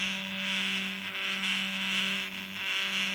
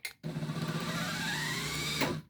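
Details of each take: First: Truma SE R caravan mover bought as spares or repair, test before repair: steady low motor hum under a loud high whine swelling and fading; one drive unit noisy but working, cause not investigated. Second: Truma SE R caravan mover bought as spares or repair (reportedly wouldn't power onto wheels, fault codes), bench test before repair: motor hum comes up unevenly then settles to a steady run, whine climbing slightly; slow start but works.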